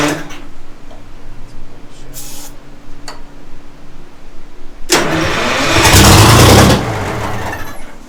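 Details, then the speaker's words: Detroit Diesel 6-71 first start attempts, fuel pump suspected of not picking up fuel; quiet at first, then short labored churn that never catches; starter dragging on a nearly dead battery. "So you don't think it's anything serious? Battery's about dead here."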